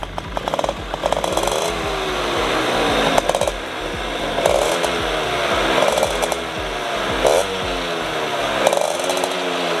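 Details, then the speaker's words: RC100 two-stroke, tuned to a standard economical setting for daily use, still cold at idle: buzzy note rising and falling with short throttle blips, firing even and fairly smooth; normal cold idle. "oke oke kah media mesinnya Ya bisa dibilang cukup halus"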